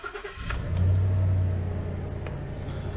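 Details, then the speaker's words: 2015 Ford F-250 Super Duty 6.2L V8 after replacing ignition coils for a cylinder 8 misfire (P0308) and clearing codes: short crank, clean catch, smooth even low idle with no stumble; no unburnt-gas smell, sounds better. "Oh, here we go. Sounds better. Can't smell any unburnt gas either, so that's good."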